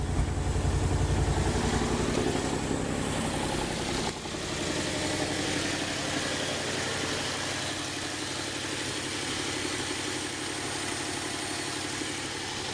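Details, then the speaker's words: Engine running on gas through a new automixer, single gas pipe; instant start, brief higher-speed start then steady even idle with no misses, knocks or hunting; runs smooth. "so it was an instant startup and it's running smoothly"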